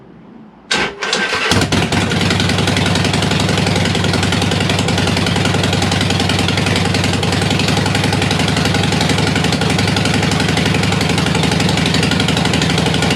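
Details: Harley-Davidson Sportster after 1900 miles in four days, running to warm up before gasket change: quick start then steady idle with fast light ticking, "sounds like a bag of spanners"; exhaust leak at front exhaust header gasket.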